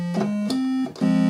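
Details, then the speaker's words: Moog MG-1 synthesizer with a no-sound fault on the other voices (tone one, tone two, bell tone silent): square wave organ voice from the keyboard circuit plays clean, steady buzzy notes stepping through pitches with crisp starts and stops; normal square wave organ tone. "for the square wave organ. That's obviously working."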